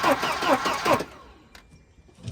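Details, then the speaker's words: Wrecked Volvo 240 with a B230 engine: about a second of quick, even cranking, roughly five beats a second, with good compression but no firing. No spark is suspected. "Sounds like it's got good compression at least. Doesn't seem like we have spark, but I know a way around that."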